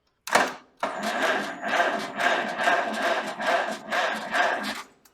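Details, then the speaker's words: 1947 Farmall H on a new 6-volt battery, neutral, all four spark plugs loose for compression testing: starter engages and spins the engine in even pulses about two a second, fan turning; cranking sounds healthy. "It turns over. Awesome. Saw the fan moving."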